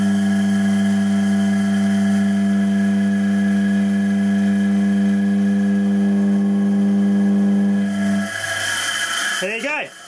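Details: Pope motor, a three-phase motor run single-phase through a 200 µF back-to-back capacitor from a variac at 280 V, drawing 7 A. Smooth, constant low hum for about eight seconds, then cuts off; even running, no rough noises, not hot.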